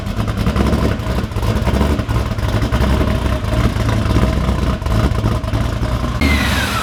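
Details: Blown 383 stroker LS1 V8 in a VY Holden One Tonner ute, idling on a base tune just after its first start: a deep, lumpy, steady even beat with no knocks or ticks; healthy.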